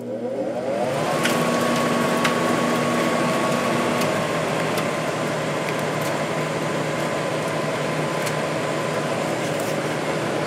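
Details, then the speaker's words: 1995 10,500 BTU window air conditioner after cleaning and oiling the fan motor: spins up quickly to a steady, clean hum with even airflow, no squeal or rattle; normal fan motor run. "so I cleaned it up oiled the motor and it runs a lot better now"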